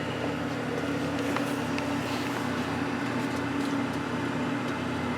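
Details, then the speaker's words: Van Wert VA600 coal stoker boiler, low-and-slow setup after changing motor drive pulley from 3-inch to 2-inch, cutting feed from 10 lb/hr: low, steady hum with faint even drone, no clatter or grinding; runs very quietly. "You can hear it's actually very quiet now too, because we've gone from a 3-inch drive pulley on the motor to a 2-inch drive pulley on the motor, and the gearbox pulley and the sprockets are all the same."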